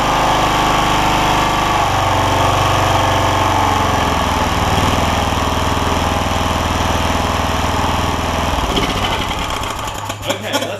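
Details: John Deere LX172 Kawasaki FC420V single-cylinder with loud starting backfire; carb spray in intake, throttle cable bad: fires up, runs steadily without pops or backfires, then winds down; normal.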